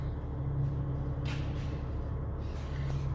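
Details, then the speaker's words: DAF 105 truck diesel with 600,000 km idles with a dull drumming knock and breathy puffing back through the air intake. With the valve cover off, a bent rocker/valve guide was found. "так ребят всем привет приехал к нам дав со стуками из выпускной системы получается у нас воздуха идут звуки непонятно"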